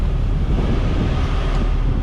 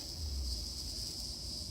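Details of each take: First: 1998 Jeep Wrangler TJ after AC system restoration, leak repair and recharge: steady even idle rumble with faint ticking, no squeal or surges; cabin cooled down, AC and repaired blower working fine at idle. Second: 1998 Jeep Wrangler TJ restored AC system: steady thin high hiss over low rumble as air is drawn in through a leaking AC Schrader service valve, the vacuum leak; all Schrader valves were bad.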